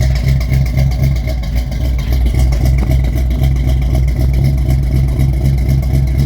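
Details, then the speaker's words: 1971 Chevy C10 with 350 small-block V8, cold start after sitting three months: loud, lumpy idle with uneven low thumps and a stumbling beat; not firing on all cylinders. "oh hey she's running she's alive not no cylinders but it's R is it not no"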